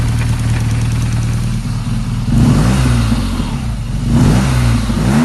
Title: Strange Noise coming off throttle